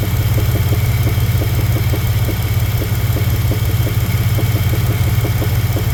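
Steady low idle with a light, even tapping, roughly three knocks a second over the engine hum; the source is undetermined.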